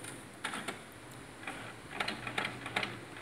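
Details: HP Tank 412 printer with black ink not printing, powering on: soft, uneven light ticks and clicks, a few per second, as the head settles; normal startup routine.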